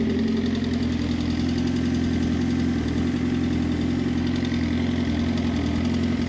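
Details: Suzuki GSX-R motorcycle at idle with a fast, light, uneven top-end tick that disappears at 2500 rpm; resetting the cam chain tensioner stopped it for five minutes before it returned; owner suspects timing chain or tensioner.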